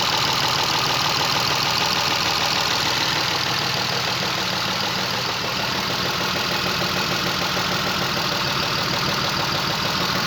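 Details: Chrysler LHS 3.5 V6 petrol engine: busy, rattly idle with a fast, uneven clatter of about three per second; the engine knocks and runs like a diesel, cause unknown.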